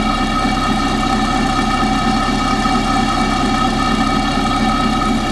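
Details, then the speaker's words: Engine at idle, pipe stethoscope on the belt tensioner: steady, even whir with a faint tick in the background, normally inaudible; tensioner sounds normal. "Now you might be able to pick up a little ticking noise in that, which normally you can't hear."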